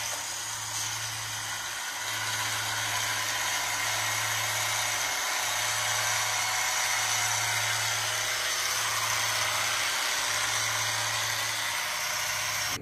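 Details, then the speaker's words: iRobot Roomba S9: rough whirring with a coarse buzzing growl in bursts about every two seconds, grinding and not moving well on carpet; grinding noise, suspected bent housing (cleaning head module). "so I've been hearing from a lot of youtubers that the Roomba s9 is making some grinding noise kind of like this youtubers video"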